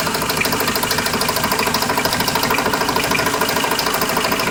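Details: Steady light ticking, about two to three per second, from the time the car starts until shut-off, heard somewhere around the oil pan at idle; possibly something loose or the balancer suspected, cause unknown.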